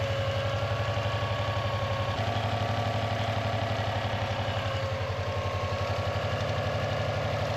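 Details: Non-AVCS JDM Subaru EJ205 boxer idling after timing belt and water pump replacement: soft irregular tick over steady idle, far quieter than the original loud metallic ticking; source inconclusive, possibly the timing belt tensioner, unconfirmed.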